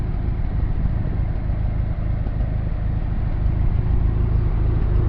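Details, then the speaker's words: Freshly rebuilt Ford Model T engine in break-in, about 5 minutes of runtime, warming up. A deep, steady low rumble with an even firing pulse and no knocks or rattles; it is running smoothly. "It sounds good. Alright, I'm going to let that warm up."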